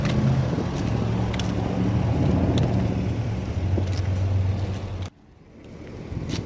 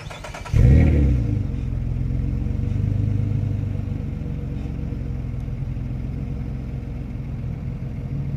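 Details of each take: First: Nissan straight-pipe exhaust after cutting it with a tail pipe cutter and joining it with a Walker band clamp (temporary, not welded): deep, even idle rumble with no puffing or ticking at the joint; a minimal leak remains where the pipe ends meet. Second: Nissan straight-pipe exhaust, pipe cut and rejoined with a Walker band clamp instead of welding as a temporary fix: sharp rev then deep even rumble settling to idle; minimal leak where the two pipe ends meet barely stands out.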